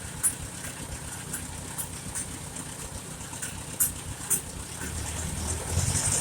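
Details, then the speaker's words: 1951 Farmall Super A tractor after engine rebuild, idling as carburetor is adjusted, with a little water in the gas; even low putter at steady rate with a few faint clicks, sounds better: smooth idle. "yeah it sounds a lot better let's put a little seafoam in there fuel of it or whatever it is and help draw some of the water out of it"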